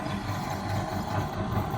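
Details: Split AC outdoor unit with compressor that would not start (fan worked), running after a blocked compressor terminal wire was fixed; compressor current about 0.8 A; steady, even low hum with no knocks or rattles; normal running.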